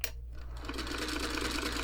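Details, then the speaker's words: Singer 301 sewing machine from a thrift store, first power-up test before cleaning: slow, even clatter with a dry, rattly edge as the motor is pushed faster to full speed; sounds dry, likely needs cleaning and oil. "a little dry go a little faster full blast okay okay I don't smell anything burning"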